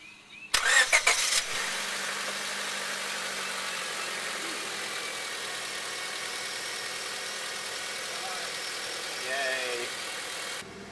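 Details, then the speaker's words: 2001 Honda Civic (7th gen) right after a full timing belt service, with timing belt, water pump, tensioner, crank seal and accessory belts replaced: brief crank, quick catch, smooth even idle with no ticking or stumbling; a healthy start before warm-up. "We're gonna let her warm up. And I'll give it a couple of revs after it warms up."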